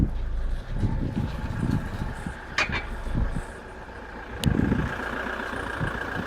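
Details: Alfa 147 JTDM diesel: low rough running with bursts of loose rattling as load comes on and off, when slowly releasing the clutch and pressing then releasing the gas, and also when accelerating at slower speed.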